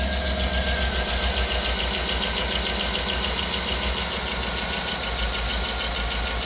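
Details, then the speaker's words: 2009 Chevrolet Tahoe V8, about 225,000–250,000 miles, P0300 misfire, low compression but passing leakdown, idling with uneven stumbling beat and intermittent light scraping tick from top end; misfire heard, owner suspects lifter sideways scraping cam, not confirmed. "I mean, you obviously hear the misfire. The noise kind of comes and goes. It sounds like a lifter is uh a lifter's sideways scraping the cam up."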